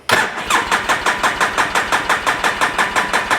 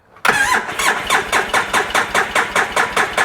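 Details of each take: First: 2010 Polaris Ranger RZR 800 S after engine rebuild, fuel pump hooked up: steady starter cranking at about three even pulses per second for six seconds, never catches, then stops; check engine light on. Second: 2010 Polaris RZR 800 S, rebuilt engine just installed, cranking with fuel pump disconnected on a jump pack (battery 9.6–10.7 V): even, strong chuffs about four a second without firing; good cranking compression.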